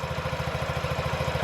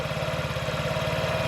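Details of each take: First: 2017 Honda Ruckus NPS50 50cc four-stroke scooter, idle set to the lowest it will go before stalling, after earlier rpm variation: even putter at about sixteen beats a second, no hunting; steady idle. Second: 2017 Honda Ruckus NPS50 50cc four-stroke scooter, idle screw adjustment with tachometer: slow lumpy uneven putter at just under 2000 rpm (1700–1800), about to stall; idle set too low, rpm variation suggests another issue.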